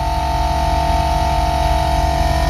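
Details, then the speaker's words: 1996 Jeep Grand Cherokee Laredo 5.2 V8 IRO on-board air compressor refilling tank back to 135 psi after air released: steady motor hum, even piston pulsing, no surging or rattle; normal run. "you let a little air pressure out if it drops below a certain point compressor kicks right back on brings it back up to 135"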